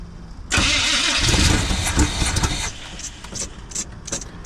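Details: 1980 Chevy K20 squarebody 4x4 with freshly rebuilt Quadrajet carb and new fuel filters, just started and warming up: catches quickly, quick busy idle a little high; vacuum leaks to be checked, later tune idle circuits with vacuum gauge.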